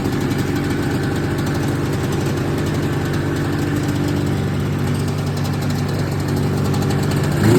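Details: 1979 Yamaha SRX snowmobile two-stroke, restored fuel and cooling systems, after skid reinstall and track adjuster cleaning: steady buzzing idle rhythm, brief blip at the end, even and healthy; normal idle.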